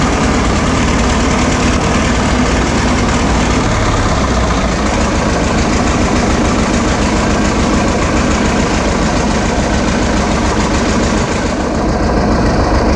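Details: 1936 Caterpillar RD7 crawler, first start since its seized, water-contaminated starting engine was rebuilt from parts units: heavy, even diesel clatter with a steady low throb around two beats a second, holding speed; normal running.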